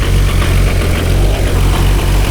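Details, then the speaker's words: Highly modified 1999 Nissan Skyline R34 GT-R, T88 big turbo, Getrag gearbox with twin-plate clutch: deep steady idle with loose chunky rattle; known twin-plate clutch rattle, unsure if anything wrong; twin-plate clutch rattle at idle. "the jet drag gearbox that's in the r34 and the Supra is known to make a junk junk sound when it's got a twin plate clutch in it"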